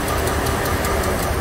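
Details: 2004 Dodge Ram 1500 4.7 V8, running rough, oil a quart low and dirty, P0522: uneven idle with sharp tapping about five times a second from the right bank; cam follower dislodged from number 4 exhaust, likely collapsed lifter.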